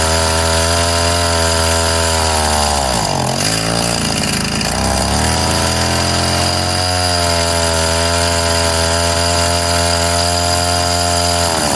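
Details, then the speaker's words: Craftsman mini tiller 536.797500 after carb cleaning and a new fuel line: a high, buzzy two-stroke drone holds steady, dips and recovers as the idle is adjusted, then runs smoothly; normal running. "yeah oh it runs tuning time and tuned cover your eyes"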